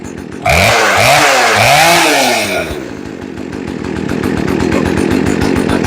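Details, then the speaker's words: Poulan Wood Shark chainsaw, small 2-stroke, long stored outdoors, after replacing the carburetor, fuel lines and filters, no adjustment, air filter off: two quick throttle blips climb cleanly and drop back, then a low, steady idle; runs right. "Idle's nice and low. And she revs nice and easy."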